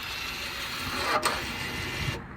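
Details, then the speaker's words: 2017 Audi A4 B9 2.0 TDI, ignition on, diagnostic tool in brake service mode during pad and disc replacement: steady gritty motor whir about two seconds then clean stop; rear electric parking brake actuators retracting normally. "Now once you change the path, you can retract them with option number 2. You will be hear them moving again."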